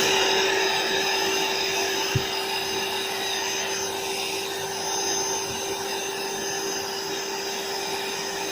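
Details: AeroBed Deluxe Raised double air bed, a free second-hand unit with a pinhole puncture the owner places in one corner. The built-in inflator pump gives a constant steady hum with a fixed mid-pitched tone and airy rush, no rattle or labouring: normal pump operation.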